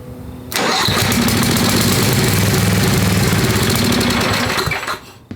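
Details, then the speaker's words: Craftsman 10hp Tecumseh riding mower after head install and carb refit, long unrun, fuel poured down carb throat: catches, runs rough about four seconds, sags and dies; owner concerned it isn't sucking fuel. "now she's not sucking fuel um that's got me a bit concerned it should it should pull some fuel [Music] she hasn't run a long time"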